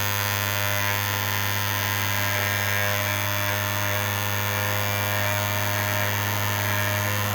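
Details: 3D-printed maglev rotor after adding dry lube to the rotor shaft and pulling the coil back: a steady, even high hum with constant pitch and no wobble or scraping, replacing the earlier racket. Normal running.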